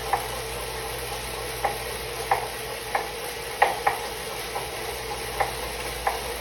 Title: Suito-T Elite knocking noise